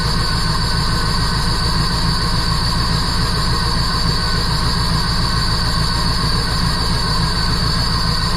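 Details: 1977 Jeep CJ7, 350 small-block Chevy with Holley Atomic EFI TBI, new Bosch O2 sensor, loose exhaust flange bolts found, tuned near 14.0 AFR at idle: idle throbs unevenly, about two hundred pulses a minute; rough idle, cause (timing chain?) unconfirmed.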